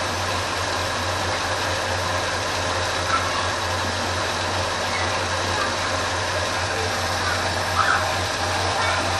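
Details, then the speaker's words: 1980 Ford F350 after carburetor rebuild and mixture screw adjustment, with new choke pull-off: steady, even rumble with no stumble, miss or surge; idle fairly smooth, normal idle. "that's got the idle fairly smooth right there the rpm sounds"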